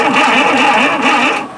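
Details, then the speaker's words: Tera jet engine with new spark plugs, cranked on booster cables: brief, even cranking that never fires. Spark unconfirmed; owner thinks it needs choke to start. Crank, no start. "we have crank. I don't know if we have any spark."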